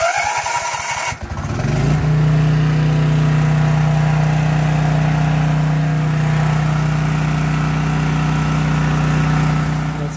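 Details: Briggs & Stratton 1650 5500-watt generator on natural gas, after push-button electric start installation: brief cranking, catches within two seconds, steady even drone with no misses; normal start and idle.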